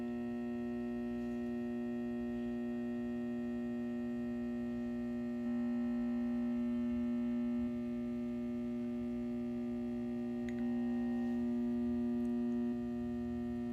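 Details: Satco 150W high-pressure sodium ED17 bulb, made April 2013 and 6.5 years old, runs on an S55 magnetic ballast. A loud, steady mains hum with a buzzy edge steps up in level twice while the cycling lamp burns; the ballast hums loudly.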